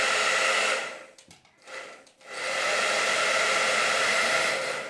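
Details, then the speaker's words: Hair dryer, reassembled after a repair demonstration of a no-heat fault, rear cover clicked back on and run; the unit was never actually faulty. Steady, even rush of air with a smooth motor hum and a brief drop when switched; runs normally. "Bizim makinemiz daha önce sağlamdı arkadaşlar. Arızalı değildi."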